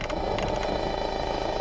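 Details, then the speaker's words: Car stereo with the engine running and an Amazon Echo or phone on the 3.5 mm aux input. A steady electrical whine and buzz comes through the speakers: ground loop noise. "do you hear this feedback noise? I'm assuming you guys can hear that through the speakers okay. Now, it's sending a feedback noise through my speakers, but it's not just the Amazon Echo."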